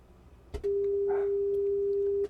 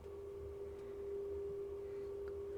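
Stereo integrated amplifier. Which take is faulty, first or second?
second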